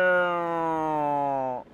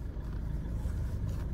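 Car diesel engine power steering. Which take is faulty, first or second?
first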